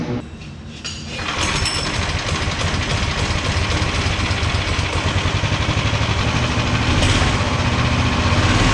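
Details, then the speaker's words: 18 hp go-kart engine, throttle return spring refitted: catches about a second in, then steady, even putter around four beats a second, no misses; returns to idle fine, stops on its own, healthy idle. "I think that's everything I need to do to it right now. It stopped on its own, it idled fine, brakes worked fine."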